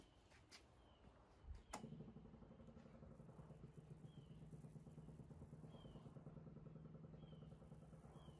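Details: 1978 MGB after a first-time carburetor rebuild for leaking gaskets: catches after a couple of cranks and settles into a steady, even idle with no misses or knocks.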